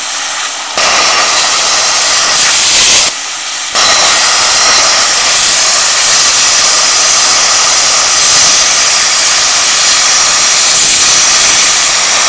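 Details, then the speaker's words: A 40 amp plasma cutter at 15 amps and 40 psi gives a loud steady rushing hiss with two short stops; it cuts slowly and not completely through; normal low-amperage plasma cutting. "well i would have laid money on that that wouldn't have cut that but look at that didn't go completely through but it did cut it"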